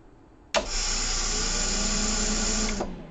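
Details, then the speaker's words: Medical grade air compressor slated for disposal, just powered after checking fuses because it showed no voltage: motor kicks in instantly, steady even hum with bright hiss for two seconds, then winds down cleanly; healthy start. "well you've seen it guys the compressor wants to kick on immediately"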